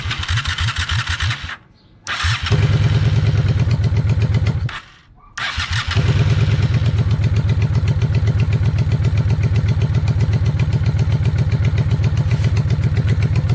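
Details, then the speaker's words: 1995 Honda Shadow VLX 600 V-twin with freshly cleaned carbs, during idle screw adjustment: lumpy, uneven idle that dips almost to nothing twice, then settles into a steadier but still rough beat. "I just want to hear it idle a little better because it idles, but we'll see."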